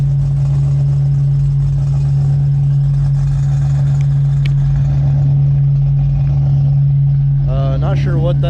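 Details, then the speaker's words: 1995 Ford Mustang GT cold start with new loud exhaust: idle surging with a loud steady low moaning drone, seems to go away when revved; owner suspects idle air control motor, cause unconfirmed. "sound is um idle surging and there's a sound that sounds like um a cow giving bird I read something that said that that might be the idle air control motor since I have been having idle issues"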